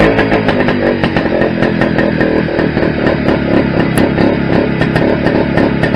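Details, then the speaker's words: Restored Greeves two-stroke motorcycle at first start-up after project rebuild: crisp even crackle, steady regular firing pulses; sounds all right, though owner thinks calibration may be off and it feels slightly underpowered, maybe gearing. "Well, that sounded all right."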